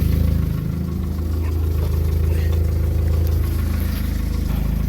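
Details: VW Mk4 Golf idling before back box replacement: low, loud idle with an uneven puffing chuff about three times a second. Horrible rattly exhaust note from a blowing, failed back box.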